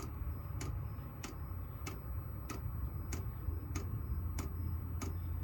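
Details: Chinese diesel heater newly installed in a bus, dosing pump mounted to the bus frame, at startup with the fuel line purged: sharp, even ticks about every 0.6 seconds over a low hum. The pump is dosing normally and the heater fires at about 2.5 minutes.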